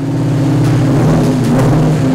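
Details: 1999 Mustang GT with swapped 470hp 5.0 Coyote V8, no mufflers fitted, held at steady revs; loud raw drone running slightly uneven, owner suspects the JLT cold air intake airflow is throwing off the computer, needs tuning.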